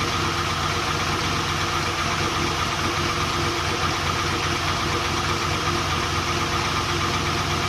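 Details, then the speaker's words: Volvo 240GLE with swapped LS2 V8, first start after engine reinstall, idling: steady idle with an uneven stumbling beat about every two thirds of a second, one cylinder dead; number 8 coil had been swapped to number 2, and the owner suspects a faulty plug. "I did notice that I swapped the number 8 coil to number 2. Pulling this plug off made no difference to how the car ran, so I thought maybe there's something to do with this, but when I touched the plug here, the revs changed. So I reckon there's something wrong with this plug."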